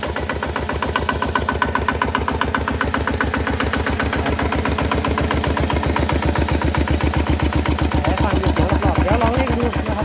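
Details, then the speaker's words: Small single-cylinder diesel (ET) fitted with an RT injector, started and running; quick, regular, even thump that holds steady, starting normally with no misses. "ติดเครื่องแล้วติดเครื่องได้ปกตินะครับอ่ะฟังดูเสียงครับว่าเสียงมันต่างกัน"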